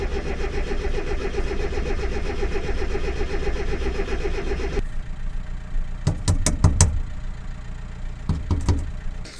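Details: Mazda MX-5 Miata just fitted with a Kemso upgraded fuel pump; a long steady starter churn that never catches, then a few loose clunks, fuel pump not heard priming: cranks but will not start, new pump didn't fix it, cause unknown.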